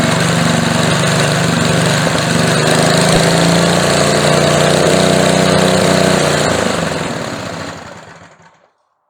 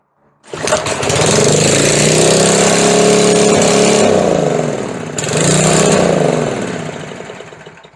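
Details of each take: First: Older edger with a McLane carburetor, after replacing the carb diaphragm and swapping a very old non-resistor spark plug for a resistor plug, air filter on: a smooth, even buzz at steady speed with no stumbling, then wind-down; normal running. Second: McLane edger with a carburetor fault, first start attempt before carb diaphragm replacement: the engine catches and roars flat out, sags sharply, then races back up. It only runs wide open or nearly stalls, and the throttle linkage is suspected of hanging.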